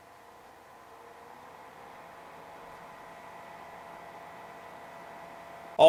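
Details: NZXT Cryo V60 bladeless notebook cooler, fan speed raised from 1,000 to 1,600 rpm: faint steady whir with a couple of thin high tones, getting slightly louder as speed rises; normal fan operation.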